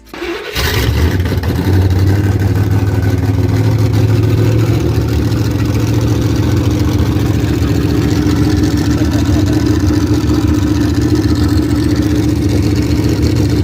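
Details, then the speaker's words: V8 with open headers: catches quickly, then a loud, deep, steady, even rumble; normal healthy idle. "Fuck yeah, man. It's open headed. Sounds good. Real good."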